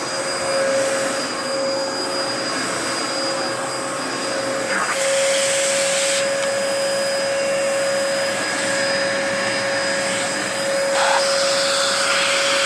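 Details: 2004 Dyson DC14 Animal vacuum, fixed up and on its first run since a new HEPA filter fitted: a steady roar with a thin constant high whine. The owner says the bearings sound a bit funky, whining after a while.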